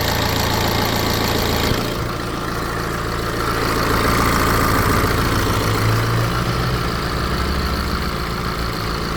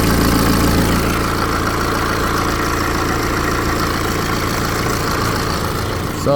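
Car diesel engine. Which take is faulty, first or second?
second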